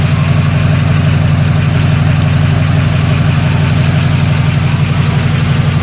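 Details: 1941 Buick Special first start after sitting with years-old fuel and a new water pump; even, steady low idle with a regular smooth beat, no misses or knocks, though valve train was briefly rattly at first; healthy warm idle.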